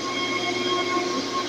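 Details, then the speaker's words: Server rack panel cooling fan running on 53 V with no speed control: loud steady fan rush with thin whistling tones, running flat out; to be slowed with a 60 V 20 A PWM module to reduce noise. "ini kalau teman-teman dengerin ini suaranya kan bising banget nih ini akibat ada kipas yang berputar di sini yang memang putarannya itu belum bisa dikontrol belum bisa dikendalikan"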